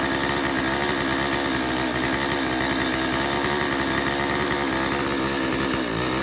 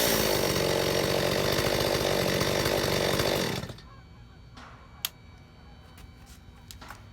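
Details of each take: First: Stihl 025 chainsaw after a previous carburetor kit install, unsuccessful test run: holds a steady, buzzy run but sounds flat and never crisps up, consistent with an air leak into the crankcase. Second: Stihl 025 chainsaw after carburetor overhaul, fuel line and metering lever corrected, mixture screws reset: starts easily, clean steady full-throttle scream, about 13,000 rpm no-load top speed, 2,800 rpm idle; normal running.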